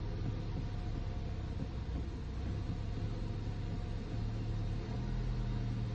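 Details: Audi/VW 1.8T/2.0T EA888 engine (Golf 7/A3), code P2279: a deep, slightly uneven idle with a wavering low rumble from a failed PCV valve leaking air.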